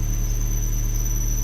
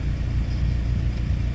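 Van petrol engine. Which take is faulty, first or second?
first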